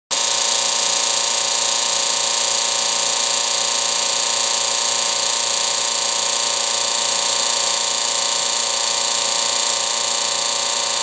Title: Bad procon pump sounds like